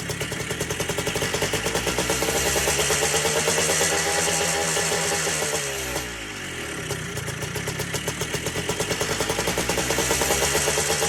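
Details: Three-wheeler ATC two-stroke, seized about half an hour earlier with lots of lubricant put in the top end, started on the first pull after priming: crisp even popping at steady idle, brief dip then recovery; engine runs freely, normal idle.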